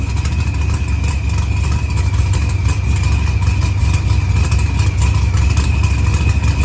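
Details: Dodge Challenger with supercharged LS swap and zoomie headers, after blown head gasket and fuel pressure sensor fixed, firmware V6 220, timing 27° (target 28°), idle leaned: loud steady V8 idle with even lope, no knocks, misses or ticks; healthy.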